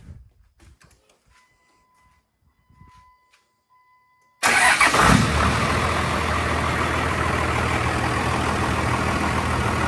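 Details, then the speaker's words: First start after fitting turbo, downpipe, charge pipe and intercooler piping, coolant just filled, in neutral, mic in the engine bay: cranks, catches cleanly, settles into a quiet, steady, even idle with no knocks. "well she's paring like a kitten up here very quiet up here in the engine bay"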